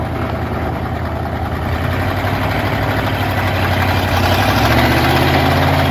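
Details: 1960s Ford F-750 dump truck, revived after not running, idling as the dump bed is worked. Deep, steady idle with an even pulse that holds smoothly as the load builds slightly; a healthy big V8 ticking over.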